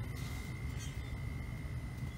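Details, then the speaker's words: ICP Carrier heat pump indoor ECM blower, checked for a weak-airflow complaint with a sucked-in filter: steady heavy air rush with a low even drone and faint constant high tone; blower running at full speed. "and it certainly sounds like the blower is running at full capacity and these ecm blowers a lot of times they like to be uh you know intermittent with their problems"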